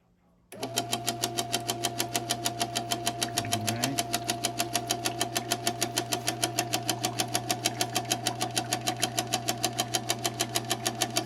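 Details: Insignia NS-IMN44BS4 nugget ice maker, powered with a little water in it: a steady hum with a sharp, even knock about twice a second from the top drive area, the gear motor knocking.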